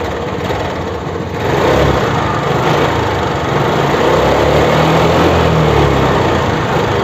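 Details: TVS Scooty Pep+ after a no-spark-at-plug fix (rewired relay negative and CDI plug wire): with the key on it catches quickly and settles into a steady buzzing idle with no misses or sputter, so ignition is firing properly.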